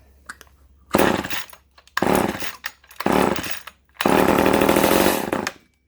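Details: Vintage Poulan Super 25 (S25DAV) chainsaw after fuel line replacement, spark plug refitted and primed: small two-stroke fires in short bursts of about a second, revving high then dropping, blipped on and off; starts and runs, heavy bar oiling.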